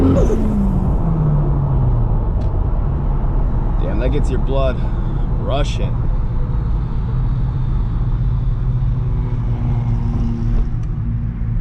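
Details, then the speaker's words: Turbo Lexus IS300 test drive after relocating battery to trunk and ABS module to stock battery spot: pulls cleanly through revs with more turbo spool, then smooth even cruise, no knocks, rattles or misses; everything sounds good. "a little more spool there I think we're in business"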